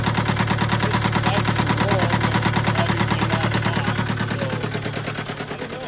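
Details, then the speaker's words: Case 188 four-cylinder diesel tractor before teardown: a regular heavy chug of about three beats a second, turning uneven and lumpy as it winds down, missing badly and smoking. Number one cylinder appears not to fire. "there's something going on with the motor it's missing real bad it's smoking a number one cylinder appears to be misfiring not firing at all"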